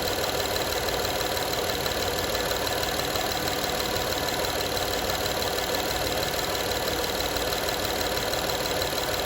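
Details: 2012 Honda Odyssey engine at steady idle: light, fairly fast metallic rattle, roughly three per second, as if something loose or worn; engine rattle at idle, cause not evident.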